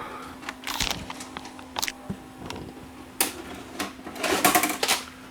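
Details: Samsung SV-5000 multi-system PAL/NTSC converting VHS VCR, repaired from two faulty units: soft mechanical clicks and short whirs build to a quick clatter as the tape ejects, smooth normal action with no binding or tape eating.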